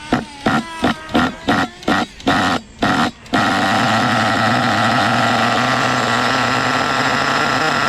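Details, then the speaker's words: HPI Savage 1/8 nitro monster truck with worn, double-scored sleeve, after fixing sticky throttle with a washer and different screw so the carb closes: starter bursts, then the engine catches and holds a steady high buzz without sticking. "now everything is it's basically golden carb closes up there is no more sticky throttle let's fire it up again"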